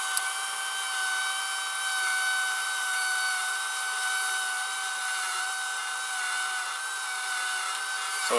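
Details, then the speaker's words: Sears Betavision VCR model 30214, after idler tire and small belt replaced, top cover off: steady thin high squeal over a faint mechanical hiss during playback. Owner suspects sticky shed syndrome from a hot, humid summer; humidity is at 65%. "can hear that is it is doing like a squealing sound so this is probably like a sticky shot syndrome"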